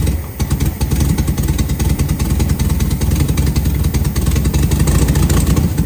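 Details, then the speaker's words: 1972 VW Super Beetle barn find, runs after cleaning points and adjusting distributor timing, Solex H30 carb; lumpy, uneven idle that stumbles; still missing somewhere, timing helped slightly, carb likely needs adjustment. "still got a Miss somewhere all right just the timing that's definitely a little bit better but it's still not right"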